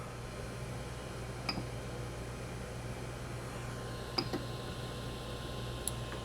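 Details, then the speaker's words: Creality Ender 3 Pro 3D printer after upgrade to a 4.2.7 motherboard and BL Touch: steppers moving with no audible whine, only a steady low fan hum and faint ticks; very quiet, normal. "wow super quiet can't hear it at all just hear the fans"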